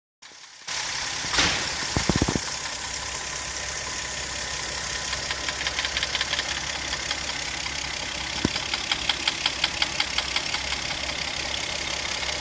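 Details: 1995 Mazda KL 2.5 V6: light, sharp ticking at nearly three per second over a steady idle, coming from the right cylinder head; owner says it doesn't affect performance. Top-end tapping.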